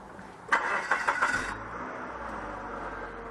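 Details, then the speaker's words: 2000 Mazda Protege 1.6 after a broken cylinder 2 spark plug (P0302) was replaced with a spare plug and codes cleared; engine cranks a few times, catches quickly and settles into a steady, even idle with no misfire. "So now you listen for a misfire. Good to go."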